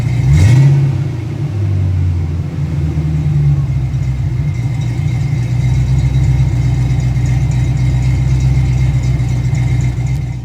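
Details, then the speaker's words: Ford Fox-body engine's first start after sitting for years. It catches with a quick flare, then settles to a rough, loping idle pulsing about four times a second. It is running rich; a base idle reset is planned and the cause is not yet found. "Running rich right now, but we're there. It's running."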